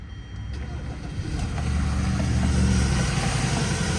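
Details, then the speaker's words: 2014 Hyundai Sonata 2.4L first start after upper timing chain replacement and engine reinstallation: it catches quickly and settles into a steady, even idle with no misfires and no check engine light. "right up. No misfires. I don't hear no misfires. No check engine light on, but I'm gonna scan it just in case."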